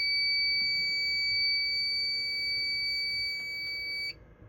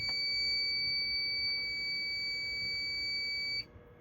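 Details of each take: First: Fire alarm panel during a system test, after a reset: a steady, piercing high-pitched tone holds about four seconds, then cuts out. The reason for the alarm is unclear. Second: Fire alarm system test, single-action pull station pulled with strobe flashing: a steady piercing high tone sounds for about three and a half seconds, then cuts off cleanly. The alarm responds correctly.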